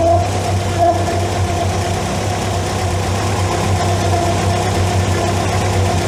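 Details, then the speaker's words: MK2 Volkswagen Scirocco that failed MOT emissions running on three cylinders, with mangled plugs on cylinders one and three; hot, idling just over 1000 rpm: low slightly uneven idle with faint steady whirr, suspected overtight timing belt, unconfirmed. "It sounds like a timing belt's been done up way too tight, to be honest."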